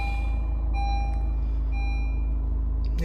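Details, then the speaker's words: Diesel car that sat about six months, just fitted with a new battery: steady low diesel rumble settling into an even idle with no misses or knocks. Starts and idles normally; all good. "Battery ಆಗಿದೆ, ಹಾಕಾಗಿದೆ, start ಬೇರೆ ಆಗಿದೆ. Okay, all good."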